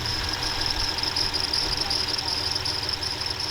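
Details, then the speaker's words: 2006 Ram Cummins diesel, newly completed, at idle: steady high-pitched serpentine belt squeal riding over the idle, still squeaking after deodorant stick applied; belt squeak at idle. "dad gum it's still squeaking oh hey you got that deodorant stick it on there again"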